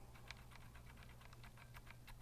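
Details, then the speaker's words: Vortex Cypher keyboard with stock Cherry MX Silver switches: a quick run of light plastic key clacks with a dry, scratchy edge; the switches would benefit from lubing. "it doesn't really but you can hear that scratchiness on that so you probably want to do some kind of lube job on it if that was an option"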